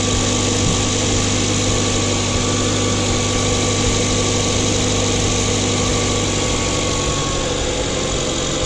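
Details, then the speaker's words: Mazda 2 just after a CorkSport short ram intake installation: smooth, even petrol idle coming down from fast idle, with no hissing, whistle or air-leak noise. The engine sounds healthy. "okay so that sounds good there's no weird hissing nothing sounds like there's alley closing and she's come down from the fast-idle"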